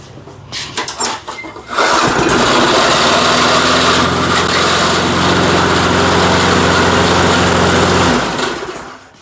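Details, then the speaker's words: Murray lawn mower dormant ten years, PB Blaster put in cylinder, extra fuel shot, cold shop in snowy weather: a few recoil pulls, then catches and settles into a steady even run, blowing PB Blaster out the exhaust; first start fine. "Okay. Well, she fired up. Yeah, she's blasting out that Yeah, PB Blaster I put in the cylinder out of the exhaust pipe."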